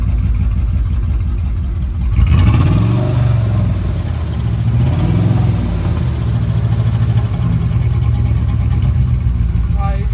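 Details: 2000 Dodge Durango 4.7 V8 idling and blipped: deep, steady knock under the exhaust rumble; owner says a piston ring blew out, and the engine is being swapped for a built 4.7.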